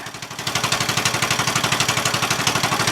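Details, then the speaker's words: Murray 14.5 42-inch lawn tractor after a cleaned gas tank, new battery and fuel line, throttle at idle all the way down: slow, regular chuffing at about four beats a second, smooth and steady; normal idle. "is idle all the way down amazing absolutely amazing"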